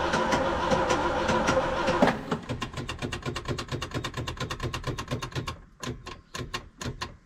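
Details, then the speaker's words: 1974 Ford F100 4x4 with 390FE big block and electric fuel pump: cranks, catches and idles with a lumpy burble and stumble, no longer smooth; misfire, old spark module to be swapped in to see if it runs better. "it's just got kind of a like a burble and a stumble it's just not smooth and it used to be smooth so let's try that"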